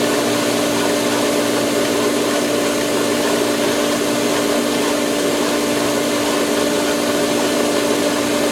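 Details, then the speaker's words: Pool Polaris booster pump at start-up, camera leaning on the pipe while the solar loop fills: a steady pump hum under a harsh, rushing, shaking rattle as the air-locked pump churns air until it catches prime. "The uh Polaris pump is gonna air lock and it just makes the most awesomeness sound when it catches prime, so to speak."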